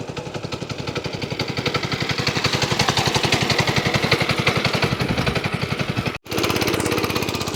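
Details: Small replacement engine (glass-bowl fuel filter, electric start, electronic ignition, "7.0" label guessed as 7 hp, two-speed gearbox) idles at a regular, quick chug that firms up as it warms up, with no knocks or stumbles; a normal, healthy idle.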